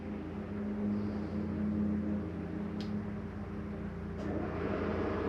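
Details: 2021 Shadow Cruiser 283RKS travel trailer furnace switched on in heat mode after the AC was shut off: even low hum with steady fan whir and a couple of faint clicks as the blower kicks on; running normally.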